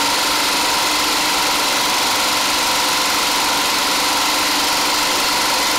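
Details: DIY 12V DC small engine-alternator generator in basement, alternator about 80 A in summer and 100+ A in winter: steady, even hum, no knocks, misses, or rise or dip in speed; normal running.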